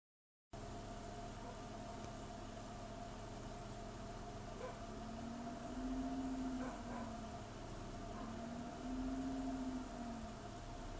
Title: E46 rough idle